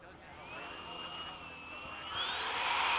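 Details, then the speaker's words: Freewing 90mm F/A-18 RC electric ducted fan jet on stock power system, re-maiden flight after elevator repair: thin fan whine climbs lazily and rises sharply only near the end, slow throttle spool-up; a recent recalibration is suspected as the cause. "Why is it advancing so slow? The throttle, did you hear it?"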